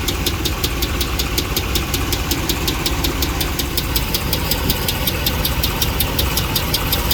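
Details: 2009 Dodge Ram 5.7L Hemi V8 at idle: sharp, even ticking about three per second from a failed cylinder 3 lifter, with a cylinder 3 misfire code, slow starting, good oil pressure and a metal fragment on the dipstick.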